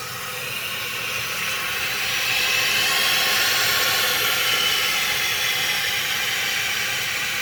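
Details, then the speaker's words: Costco Water Ridge C22148C one-piece toilet refilling after the fill-valve seal/gasket was replaced: a steady, even rush of water hisses as the tank fills, with no sputter or gurgle. The fill valve refills normally, with no leaks heard. "Let it fill to the top. Now we're going to listen for leaks. There doesn't seem to be any."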